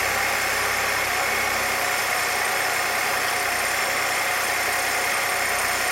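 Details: 1966 Chevrolet C20 with 292 inline six, first run after rebuild, idle mixture tuned by vacuum gauge; steady, even idle with smooth hum, no knocks or misses; vacuum about 17, rings still seating; normal idle.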